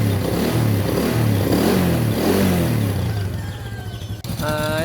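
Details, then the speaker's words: Motorcycle idling after new CDI and ignition coil fitted, no misfire: steady low burble with an even firing beat around three pulses a second, no stumbles or skips. Normal idle. "Hello guys, bali nakabit ko na, and so far so good naman siya. Wala siyang palya."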